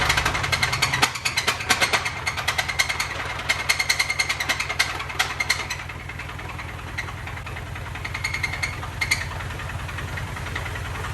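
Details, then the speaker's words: 2005 Mini Cooper S R52 convertible, first start after Copart purchase: harsh fast metallic knocking and rattling at idle, about three hits a second; consensus suspects bottom end or crank, unconfirmed; oil unchecked, possible past overheating. "[Music] something's not happy"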